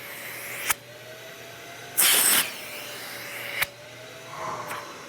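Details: Harbor Freight Hercules 12-gallon HEPA dust extractor, self-cleaning on, shop ambient 45 dB: low steady hiss with faint even motor hum, a few clicks and one short air blast; quiet, running smoothly.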